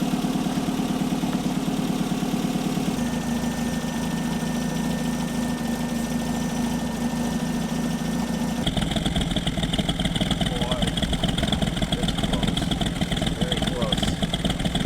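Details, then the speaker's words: 1964 Triumph TR4 four-cylinder, first start after cylinder head rebuild for two burnt valves, Zenith Stromberg carburetors being synchronized: steady, even idle with a small speed change during adjustment, no misfire; smooth now versus very lumpy before. "Just listen to how this thing sounds now versus before. I'll see if I can find some clips of this when I was running before. Very lumpy sound. This is smooth."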